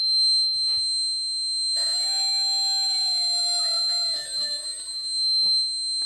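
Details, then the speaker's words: Vintage laptop running Windows 98: a steady, piercing high-pitched tone with faint shifting beeps that persists even after the volume is lowered. Alarm or whistle of unknown cause. "Vi prego, fatemi spegnere il suono, divento sordo, vi prego."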